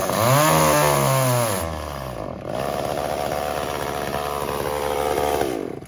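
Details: Echo CS-345 chainsaw cutting before carb adjustment: screams high, then pitch sags and labours as the chain bites wood; high-speed H screw set slightly too lean, later richened 1/8 turn counter-clockwise to cure the bogging.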